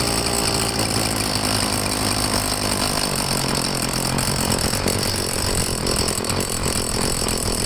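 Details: Handheld two-stroke blower started on choke after priming with the purge bulb: a raspy buzz holds one flat pitch and won't throttle up. Sea Foam added to the fuel; it later revved better, but the owner suspects the carburetor.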